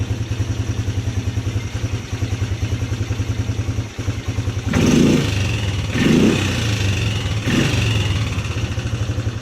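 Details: 2010 Polaris Sportsman 300 single-cylinder ATV, just bought needing full maintenance and low on fuel: a steady quick idle, then three clean throttle blips that rise and settle evenly. The engine sounds healthy.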